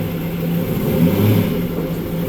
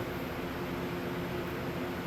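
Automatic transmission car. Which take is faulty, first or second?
second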